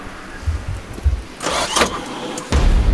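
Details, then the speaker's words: Suzuki Sierra that floated in a deep river, hydrolocked: uneven labouring low thumps, then a harsh burst as the engine cranks against water in the cylinders with the spark plugs still in; owner fears a bent rod. "right oh uhoh that sounded bad that sounded like it tried to compress that sound like bent a rod we should probably take the plugs out"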